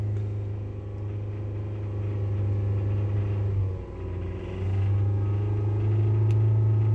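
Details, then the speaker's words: Kia with P1326 knock sensor code, reset out of 2000 rpm limp mode: a deep, regular knock under a low rumble that tracks revs, suspected around cylinder three. Severe bottom-end bearing knock. "just by the sound of the engine it sounds like it's gonna put a rod through the side of the block here any minute"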